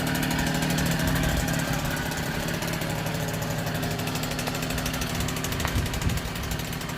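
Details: 1964 NSU Quickly S23 3-speed two-stroke moped, first start after engine rebuild; steady, even idle with a crisp, regular beat and no rattles, running sweetly.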